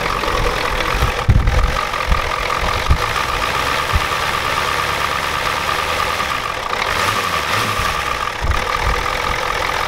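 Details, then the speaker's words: 1993 Ford F-250 7.3L IDI diesel after sitting since Monday: a rough idle with a hard, steady clatter under wind noise. The injection pump was checked and confirmed out of time, and the engine smokes heavily. "I just checked everything looks good but that's definitely out of time thank you guys for telling me about that"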